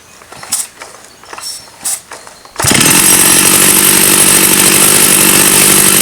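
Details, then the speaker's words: About 35-year-old Stihl 084 AV chainsaw found on the tip, started after setting the carburetor L and H screws in and backed out about one turn; fires and holds a strong, even, high-pitched scream with no misses, running healthy. "I think we'll take that as a win."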